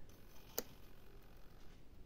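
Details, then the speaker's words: Single crisp click in a quiet room from a micro switch on a model sub snapping over cleanly as it activates the front electric solenoid valve, switched on via transmitter and magnetic switch; working normally. "Right, so this is the front valve. Now then, here's the micro switches functioning."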